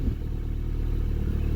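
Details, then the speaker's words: Ford Sierra/Transit 2.0 SOHC Pinto, Weber 30/34 carb, cold winter start with no choke just after coolant temperature sensor change: low lumpy uneven thumping idle with heavy fuel smell; rough running, cause unconfirmed. "does smell very heavy excuse the rough running"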